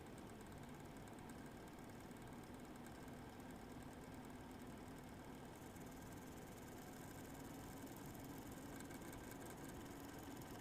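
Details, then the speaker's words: Eight-year-old MSI Radeon HD 7970 Twin Frozr III graphics card under load, one 75mm fan dead and the other failing; fan whoosh wavers irregularly in pitch, with separate faint high coil whine above it. "you should be able to hear the irregular fan spinning separate from the coil wine"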